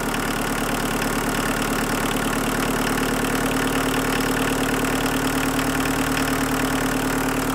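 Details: VW Mk1 Rabbit 1.6L turbo diesel after raising idle at the injection pump for winter: steady, even diesel clatter at slightly raised idle with no rise and fall; settled and healthy.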